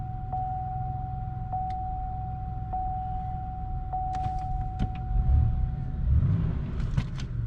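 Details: 2005 Chevrolet Impala, 3800 Series II V6, after camshaft sensor replacement for hard starting; even low rumble with a dash chime about once a second, no misses or stumbles: normal steady idle.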